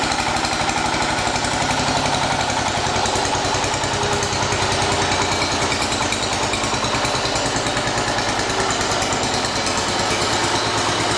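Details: 1980 John Deere 212 engine after crank seal replacement, cold day: steady, even single-cylinder putter at constant speed, no knocks or misses; normal running.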